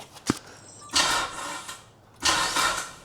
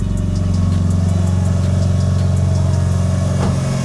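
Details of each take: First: Mitsubishi Evo 9 after timing belt replacement, first start attempt: two short sluggish bursts of turnover dying away without firing; battery too flat to crank properly after brief charge. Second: Mitsubishi Evo 9 after DIY timing belt replacement and clearing a crankshaft position sensor A circuit code, heater on: smooth, even four-cylinder idle with steady low hum, no ticking, knocking or belt noise; running healthy.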